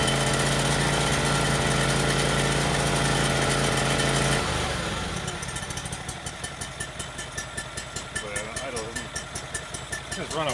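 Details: Yamaha EF12000DE generator with twin, electric start, after electrical repair and fresh fuel, smoking on startup: heavy, lumpy low beat for a few seconds before dying, seemingly firing on one cylinder; rough running, suspected misfire.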